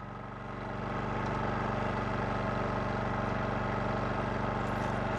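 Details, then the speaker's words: Westinghouse iGen4500 generator when a 1000 W coffeemaker is switched on: an even hum that rises only slightly, then holds without hunting. The load made virtually no difference. "so now Julie's gonna do the coffeemaker it's a 1000 watt coffeemaker and she's turning it on right now"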